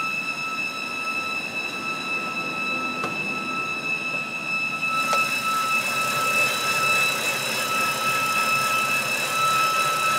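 A steady high whine holds a fixed pitch over a faint low rumble outdoors; the source and cause cannot be told apart.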